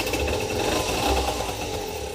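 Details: 2007 Peugeot Speedfight 50cc two-stroke moped with a Viper exhaust, wadding replaced and exhaust plug refitted, buzzes along evenly with a fast, steady note; normal exhaust, now quieter, starting and pulling better.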